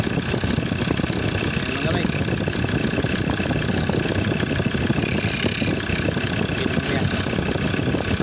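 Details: 2015 Ford Ranger 3.2 L diesel after drive belt replacement: steady diesel idle with an even clatter and no squeal or chirp from the belt, running smoothly.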